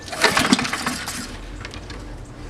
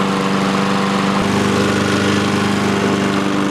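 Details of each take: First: Free roadside Honda-engined walk-behind lawnmower: quick recoil pull spins engine briefly, never fires; fuel shutoff valve was closed, so no fuel reaching engine. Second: Free roadside Honda-engined lawnmower running after its fuel valve, previously off, was opened and choke used: steady, even single-cylinder drone at constant pitch before shutting down; runs fine.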